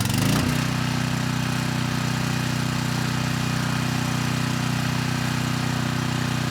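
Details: 6,000 watt Troy-Bilt generator after AVR adjustment to 119.9 volts, load test: engine dips briefly as the 3000 watt load comes on, then settles to a steady drone, staying above 60 hertz at about 118.6 volts; normal running under load.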